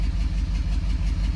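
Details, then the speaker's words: 6.7 diesel, about 859,000, broken glow plug destroyed a cylinder: deep idle with lumpy, uneven pulse and recurring dip in the beat; power balance test shows that cylinder well down, compression loss. "The change is so dramatic on the RPMs because the cylinder is so down that it won't even let you do it."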